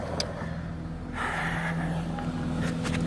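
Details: 1994 BMW 525i E34 touring just after a Bosch fuel pump replacement: a smooth, even idle with a low steady hum and no ticks, misses or pump whine; the new pump is barely audible and the engine runs healthy.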